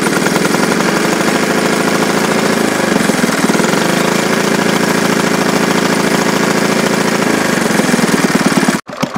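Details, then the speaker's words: 1951 Briggs & Stratton 6S single-cylinder engine (hit-and-miss conversion) with idle turned down: fast, steady, even chatter with no misses or surging, purring like a kitten and starting to sound hit-and-miss; running healthy. "Mike turned the idle down boy this thing's paring like a kitten it's going to make a nice hitting Miss Mike it's almost run slow enough now yeah look it sounds like hit Miss now"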